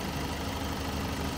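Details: Great Wall Hover H5 4D20 diesel, which had a knock, after repair and block reinstallation: idles with a steady low rumble and no distinct knock standing out.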